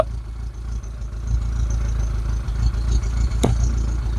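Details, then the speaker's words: Rover 25 GTI 1.8 VVC at operating temperature, heard at the exhaust, before changing the spark plugs, coil packs and HT leads: a warm idle with occasional uneven puffs and dropped beats. An intermittent misfire, cause not yet known. "But from the exhaust, you can hear it. Oh, not at the moment. Every now and again."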